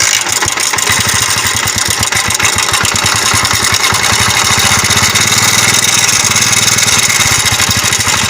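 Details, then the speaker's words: Honda CD70 motorcycle: loud, dry chattering from the top end at about three clatters a second over the idle. The cause is a worn timing chain, tensioner and guide, with a small part found broken into debris; the timing chain and guide set is to be replaced. "यह simple सी आवाज आपको बता रही है was तौर पे दोस्तों इसकी हम टाइमिंग चैन और गोड सेट हम इसकी रिप्लेस करेंगे इस तरह की आवाज जो होती है खच खच खच खच खच खच की"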